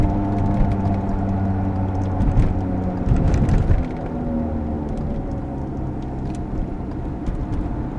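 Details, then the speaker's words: Worn wheel bearing on a 22-year-old vehicle with 150,000 km: a steady low droning roar under road rumble while driving, which rises with speed and fades as the car slows. "this typical noise rise proportionally to the speed of the vehicle rising while it's taking speed and blower as it's flowing down"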